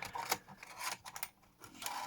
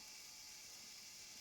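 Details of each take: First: Sony MiniDisc deck from a Lisa separates system, previously stuck in standby, reassembled after repair: brief whirring and soft scraping as the mechanism pulls in and seats a disc, then reads it; loading sounds normal and unforced. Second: Sony MiniDisc player stuck in standby, powered up before opening: faint, steady high whir that never changes pitch, like a transport motor spinning with no load; owner suspects a failed belt.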